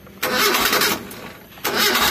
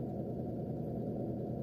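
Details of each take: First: Mitsubishi Colt SS engine after teardown for oil and radiator-water consumption; quick crank, catches immediately without throttle and settles into a steady, even run; normal start. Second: Mitsubishi Colt SS engine burning oil and losing radiator coolant, started cold in the morning: steady raised idle held around 1500 rpm, slow to drop; mechanic suspects no coolant/thermostat keeping engine below operating temperature so ECU idle speed control won't lower rpm.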